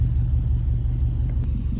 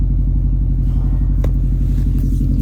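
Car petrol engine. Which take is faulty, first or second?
first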